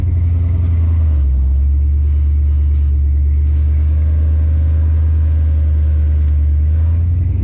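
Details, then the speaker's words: Oldsmobile TH350 automatic after governor gear and filter replacement; steady low drone with a brief dip as it shifts cleanly, no flare or slipping; all three gears shift normally. "actually it still shifts nicely doesn't slip or anything stupid like that it shouldn't do"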